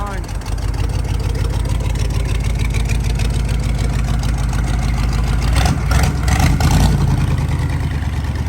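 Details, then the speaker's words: Chevy CUCV squarebody diesel, held wide open: a heavy, regular knock hammers through the diesel clatter and gets harsher as revs rise; the owner suspects a rod is about to come out of the block. "it's making a very odd noise I mean it's probably not really that odd it's probably got a rod getting ready to come out of the side of the block"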